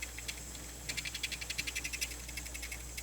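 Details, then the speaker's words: Sharp MD-MS702 vintage MiniDisc player, playing a disc after reading the table of contents: fast, light chattering ticks in short bursts from the mechanism; unclear whether this is normal. "The only thing, it produces this like a chattering noise. I'm not sure if that's supposed to be."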